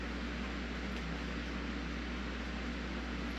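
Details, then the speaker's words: Jeep XJ fuel pump bench-powered from an RC car battery through its pigtail, with no fuel in it: low steady electric hum with a faint whir, no catching or surging; pump runs normally. "It's actually working. It just don't have no gas in it."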